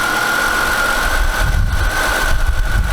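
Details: Chevrolet Impala after rebuild with new head gaskets (old fire rings split on four of six cylinders), coolant bled: idles smoothly with a steady low rumble and faint constant high tone.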